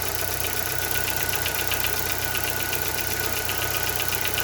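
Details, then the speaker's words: Chevrolet Corsa Montana petrol engine at idle: quick steady tec-tec tick, two to three a second, only without revs; diagnoses so far suggest piston slap, piston pin or lifter, unconfirmed pending teardown. "tec-tec, esse rajadinho. Eu vi que muitas pessoas aí com Corsa, esse motor Chevrolet aí, tem reclamado desse barulho."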